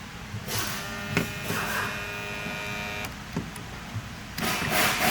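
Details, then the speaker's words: 2017 Chrysler Pacifica passenger window motor with the key on and the switch operated: steady high electric whir between handling clunks, motor runs but its gears don't turn, so stripped gearing; regulator presumably intact and turns by hand. "The window motor, the gears in the window motor is not turning. Wow. See that? You can hear it running, but nothing's turning."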